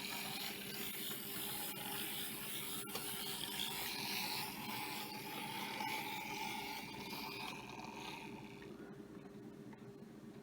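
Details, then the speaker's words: Vintage Varney Dockside locomotive with diecast shell, after cleaning, oiling and brush-spring tension reduced to lower amp draw: fast uneven ratcheting whir over steady motor hum, gear noise, and it hesitates; owner suspects the drive rods. "you can hear them years later on they made plastic gears you see how hesitates but that's the drive rods I think but I'll work on it later"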